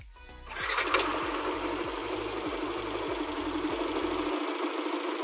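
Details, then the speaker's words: Bored-up Yamaha NMAX scooter fires up and settles into a smooth, even idle with no knocking or rattling, after the cause of its rough, noisy CVT sound was found and fixed. "Nah, suaranya halus. nggak berisik kayak tadi ya."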